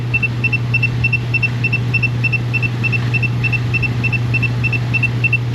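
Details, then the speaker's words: Ram with code P0443, purge solenoid commanded at 20% by scan tool: steady low hum with fast even ticking about three per second. It buzzes instead of clicking, and the mechanic wonders if it's shorted. "that thing is definitely buzzing wonder if it's shorted"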